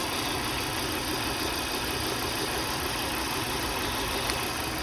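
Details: 2003 Volvo V70 2.4 four-cylinder: idle with lumpy, uneven beat under the hiss and no steady rhythm, one cylinder dropping out; misfire code 3502, ignition coil suspected.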